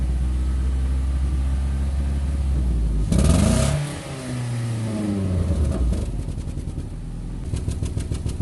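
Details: 2008 Nissan Rogue with check engine light and possible misfire code P0300: uneven, lumpy idle with a loose rattle that swells as revs rise and fall. Rough idling, worse driving in low gear; cause undiagnosed, misfire suspected.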